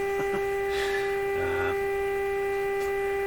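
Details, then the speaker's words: Canadian Westinghouse Model 684 radio during broadcast band alignment after capacitor replacement, signal generator at 1500: clean, steady mid-pitched test tone with no crackle, fading or hum bursts; audio sounds satisfactory, AVC quite low. "Okay, so let's turn down the strength here. Turn up the volume. Okay, that sounds pretty satisfactory."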